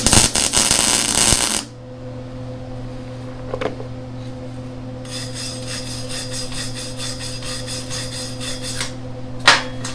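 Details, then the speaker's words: Lincoln Electric Handy MIG welder, about 6 months old: steady hum broken by irregular popping, stuttering arc where the joint gap widens into a pie shape because the metal was not cut perfectly. "Now, where you can hear it kind of popping and acting kind of strange, that's where we got, like, if you can see down here, we have a much larger gap."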